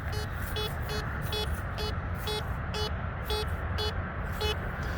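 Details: Metal detector over a known-target test garden: crisp mid-pitched beeps repeating about three times a second as the coil sweeps, a clean consistent target tone from a buried civil war lead bullet.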